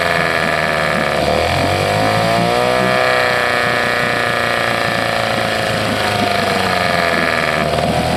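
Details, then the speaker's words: 1979 Johnson 6hp outboard with low compression: uneven two-stroke with a hunting pitch that dips and surges; owner suspects it is starving for fuel and considers checking the fuel pump. "I mean in a way it sounded like it was starving for fuel"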